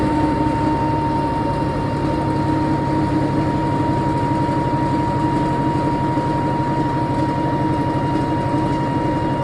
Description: This is what a 160lb Unimac washer sounds like going up to 710rpm or 300g with bearings that r less than a year old and destroyed due to under loading .